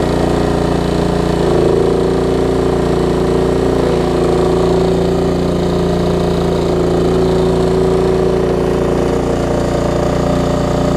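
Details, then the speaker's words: Craftsman LT1750 riding mower, Kohler engine, run with the air filter off and a leaking fuel line: loud, uneven chugging stuck at one low speed, won't throttle up; missing air filter suspected. "didn't want to throttle up also don't have the air filter on us that probably has something to do with"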